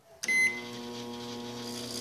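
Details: Microwave that had stopped heating, after rust removal and a blown-fuse repair: a beep at start, then a steady low transformer hum over the fan, so it is now heating normally.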